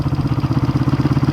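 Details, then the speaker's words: 1971 Honda CB350 twin, 6,336 miles: even idle with a light mechanical top-end clatter, owner suspects the valves and plans to check and adjust them; pulls strong otherwise. "It may be. It may be a little uh clattery in the valves, which I don't mind"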